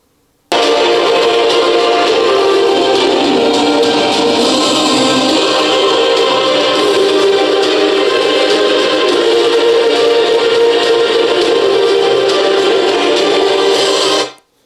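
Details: JBL Charge 3 after battery replacement fixed crackling caused by battery voltage drop: music plays loud and steady at maximum volume with no crackle, popping or dropouts; voltage stable, speaker healthy.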